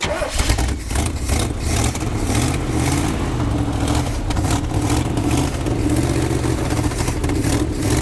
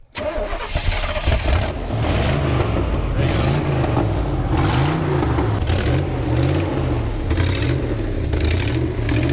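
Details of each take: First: 1976 Chevy C30 dually ex-roofing truck with PTO, sat 27 years under an oak tree, being restarted about three years later. Big V8 catches, revs cleanly and settles to an even idle with no knocks or misses: normal running. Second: 1976 Chevy C30 dually V8, long-sitting, running on old gas sucked up: engine catches and surges unevenly under repeated throttle, stumbling and sputtering; rough running, owner thinks it needs a tune-up, cause unconfirmed.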